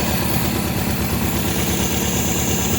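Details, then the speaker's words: 1972 MGB after oil change, SU HIF44 carburetors adjusted and synced: idle lowered from 1400 to about 1000 rpm, low even pulsing with no misses, knocks or hunting, running smoothly. "About 1K on the RPMs. That's pretty good. It's pretty smooth."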